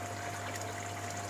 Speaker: itu saja yang bunyi di samteng. Pumpnya agak perlahan, kecil, dan juga bunyi air jatuh.